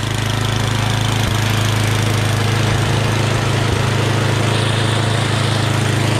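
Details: MTD Yardman 8.5 HP 26-inch dual-stage snowblower after a carburetor clean (pilot jet, bowl, emulsion tube): an even, steady single-cylinder idle with no more surging.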